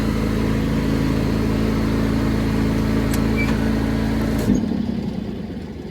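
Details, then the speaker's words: John Deere X340 mower, warmed up, restarted on choke, throttle fully up (carburetor rebuilt, fuel pump and ECM replaced): steady high idle, then clunk as deck engages and engine bogs and dies; stalls under load, cause unknown. "And that's the power demand issue, where it's at a high idle. The idle is, the throttle's all the way up. And then I go to engage the deck, and it bogs down and dies."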